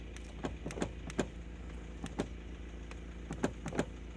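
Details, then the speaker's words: Lada Priora interior over bumps, door and seat latches already replaced: sharp, uneven clunks and clicks in bursts; owner suspects a loose, moving pivot joint, not confirmed; interior knock over bumps. "Мужики, короче, похоже, я нашел причину стука, потому что фиксаторы дверей я поставил новые абсолютно."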